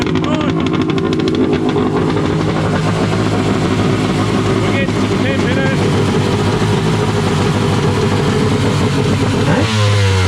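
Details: Wave Blaster jet ski after a 701-to-1100 engine swap, running after a rubber O-ring was removed to send more cooling water out and fix a silicone pipe getting warm. Loud, raspy two-stroke holds a steady high idle with a crackling exhaust; even, no misfire. Normal running.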